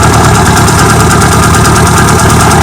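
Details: Carbureted car with mechanical fuel pump and HHO system, idling with HHO gas feeding through the bubbler; steady even idle, smooth regular pulse, no knocks or misses. Normal idle.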